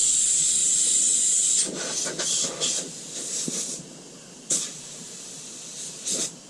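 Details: 1983 Mack cabover semi, engine running: loud steady hiss of escaping air with sharper spurts; high-low shifter leaking air profusely, truck not building air as it should.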